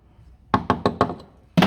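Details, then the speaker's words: Toyota Auris SR180 sill hammer-tapped underneath before MOT welding: after rotten sections nearby, four firm taps and a heavier one sound dull and solid with no crunch, on a heavily coated area; solid sill metal. "I get solid about here again. Uh, she's very coated up there. But it is sounds solid enough."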